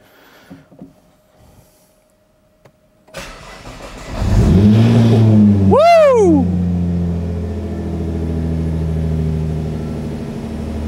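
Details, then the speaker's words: Nissan GTR project car, first start in about 2 to 4 months, turbos found not to be the fault: brief crank, quick catch, one sharp rev blip, then a steady even idle; clean start, no misfire. "beautiful now that was the first start in 2 3 4 months I don't even know but start up good ah smells good sounds good too"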